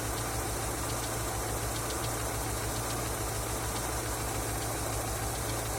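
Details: Engine knocking after oil change: light regular ticking knock over steady idle, unchanged throughout; cause not yet found.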